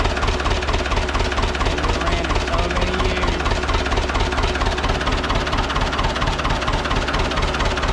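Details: Ford 6600 diesel tractor, sitting about 8 years, just started after starting-fluid spray bursts while cranking; low on antifreeze so run briefly, some smoke. Steady, even diesel clatter at idle, about two beats a second, deep low rumble: normal idle.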